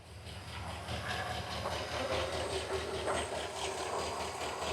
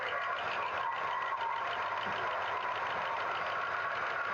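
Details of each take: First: 1963 Pontiac Star Chief V8 started stone cold, distributor just adjusted, no thermostat fitted: steady, even idle with smooth low rumble and no stumble, sounds different and now firing on all eight cylinders; normal idle. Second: 1963 Pontiac Star Chief V8 idling on its original tank during a plug-wire pull test: pulling number two makes no difference while four, six and eight are firing; uneven, lopsided exhaust; dead cylinder misfire.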